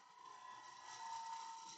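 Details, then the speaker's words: Wood lathe turning a bowl with a double-ended curved scraper worked top to bottom: a thin steady whine rises over the cutting hiss for under a second, chatter from pushing too hard that leaves vibration lines. "I'll go from top to bottom soon as I get that noise that means I'm pushing too"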